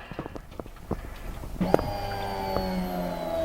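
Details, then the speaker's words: Holden VN SS Commodore 5.0L V8, sat for years, heard from under the car: after clicks, a steady hum with a thin whine as the in-tank fuel pump primes properly, though suspected faulty earlier. "That's working. So I don't know why that didn't work the other day."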